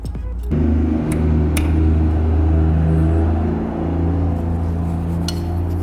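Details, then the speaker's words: 1953 Peterbilt Iron Nose with a mechanical-injection Cummins 220, first start with boost after sitting about 40 years: deep, steady diesel rumble, even and smooth, no odd knocks; the pump is likened to a VE pump; normal running. "There's old mechanical Cummings. Sound like a VE pump."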